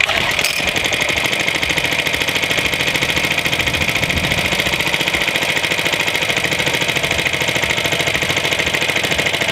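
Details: Suffolk Iron Foundry type 98G14 tiny four-stroke sidevalve engine, Coca-Cola-bottle size: quick, even popping beat of about three or four firings a second with bright tappety chatter; normal running.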